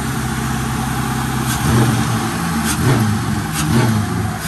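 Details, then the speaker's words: BMW with LS V8 swap, Holley Terminator X, after new Y-pipe fixing exhaust flow restriction and DIY cold air intake; deep, even rumble with throttle blips, sturdier and slightly deeper than before, no rasp, tick or leak: healthy exhaust. "Oh yeah, that's pretty sturdy. A lot sturdier than it was. Deeper than usual. Not much, but maybe just a little bit."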